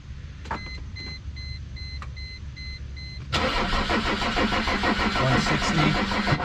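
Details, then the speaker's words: Mercedes E 300 Turbo Diesel (W210), towed in with a crank-no-start condition: starter labours at about three sluggish turns a second without catching; battery measured 11.8 V, suspected too weak to start it. "battery sounding kind of weak um I mean maybe it's too weak to start the car definitely sounds like the battery's weak that could be an issue"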